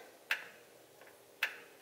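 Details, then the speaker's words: Truck with a Holley Terminator X trans brake using a duty-cycle creep bump, key on; two crisp single clicks about a second apart in a quiet cab as the solenoid actuates; normal trans brake solenoid click. "hear that and then I'll hold the bump so you'll hear a click and then you'll hear the solenoid actuating"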